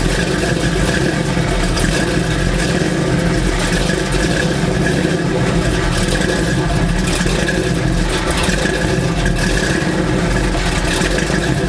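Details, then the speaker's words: 1984 Chevy C10 V8, cold start, mic down by the exhaust: rough loud run with a thin steady squeal on top and no power assist. The power steering belt is loose and slipping. "okay so very ugly noise just came from this and the power steering wasn't there either so more problems with my power steering"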